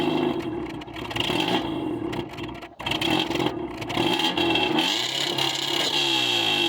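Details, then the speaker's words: Subaru after mud ingestion, MAF sensor cleaned and dirty throttle body cleaned: engine runs unevenly, surging and stumbling with rattly note, but now idles where it wouldn't before; owner suspects throttle position sensor. "Okay, not perfect, but actually a little better. It wasn't idle before, so at least it'll idle now."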